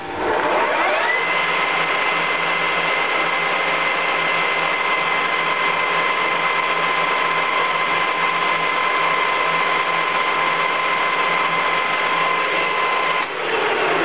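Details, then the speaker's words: Colchester Mascot lathe main spindle at the fastest speed run with the chuck on; smooth constant high-speed whir, clean steady tone, no knocks or grinding. Spindle and gears running normally. "yeah it's 12200 so that's as fast as I'm going to go with that Chuck on"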